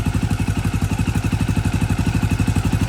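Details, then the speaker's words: KTM 530 single-cylinder, first start after engine rebuild and reinstall with new battery and exhaust, cold: even, steady thumping about four beats a second, no misses, knocks or hunting; normal idle. "dang that's a really good sign it's burned like a freaking kitten guys"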